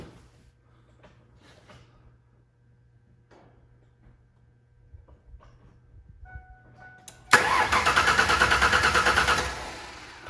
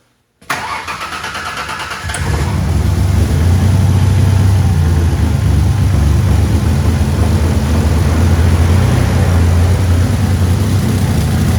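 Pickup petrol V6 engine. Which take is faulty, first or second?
second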